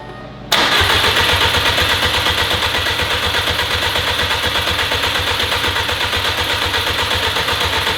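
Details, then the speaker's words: Freshly built Subaru WRX STI first start attempt, in neutral on a jump pack: starter turns engine steadily for several seconds but never catches; fuel lines had been swapped. "I also figured out our issue with it not starting I did end up having our fuel line swapped"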